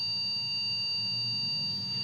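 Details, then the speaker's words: Acer H61 desktop PC that is hard to power on, at power-on with CPU fan spinning: single continuous long beep; suspected RAM fault, previous processor possibly damaged. "Sekarang kita akan tes dulu kita Nyalakan Hai dan Bu kondisinya bunyi beep panjang untuk pen prosesornya berputar ya"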